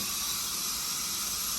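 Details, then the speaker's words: Leak-down test on a 7500 RPM small block Chevy 355 with the crankcase exposed through the valley: steady hard hiss unchanged after tapping the valves to seat them, so leakage is past the piston rings into the crankcase. "it sounds mostly like it's coming from the crank case but we'll see what we got here yeah it stayed about the same so most of it's coming from the crank case"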